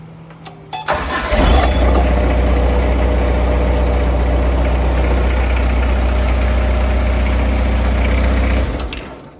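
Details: Allen Engineering HD 550 concrete machine after battery replacement for a no-start: cranks briefly, catches within a second and settles into a steady, even idle with no misses before shutting off cleanly; normal start and idle.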